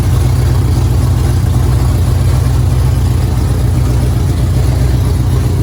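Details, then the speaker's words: 5.7 Hemi Dodge Charger after swap to performance heads and refitting long tube headers: loud, lumpy V8 idle with rapid, uneven puffing ticking from an exhaust leak at the long tube headers. "As you can hear, I have a exhaust leak. The exhaust leak is at the long tube headers."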